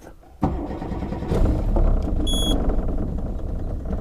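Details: 2003 Johnson 70hp 4-stroke outboard with aftermarket Bombardier gauge and alarm: starter turns briefly, engine catches at once and settles into a steady even run with a short beep; normal start.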